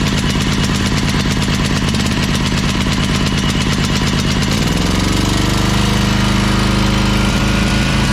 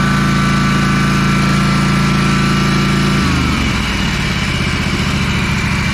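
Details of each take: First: Ferris 52-inch walk-behind commercial hydro mower, twin-cylinder, smoking, now running on both cylinders after a spark plug fix: lumpy, then a steadier but ragged drone, lacking power under load. Cause was a bad carb o-ring blocking a fuel jet. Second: Ferris 52-inch commercial walk-behind hydro mower, twin-cylinder, after cleaning the carb and fitting a bowl O-ring (a bad O-ring blocked a fuel jet): steady, even drone with clean speed drop, no misses; runs much better than before.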